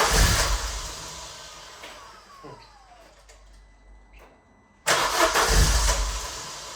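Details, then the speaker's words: Vauxhall Zafira GSI Z20LET turbo petrol, first run after 7 years parked, fresh fuel added, cold start with high idle: catches and revs, dies back briefly, then picks up cleanly with a strong, even note; normal running. "Hallelujah, man. That's running mega. It goes that way, mate. So, after a wee bit of jiggery-pokery as you can see, she's idling perfectly."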